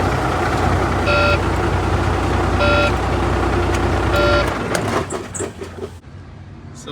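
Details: Volvo semi truck diesel after fixing no-crank no-start caused by a loose battery terminal connection: steady low rumble with short chime every 1.5 seconds, then clean shutdown; running normally.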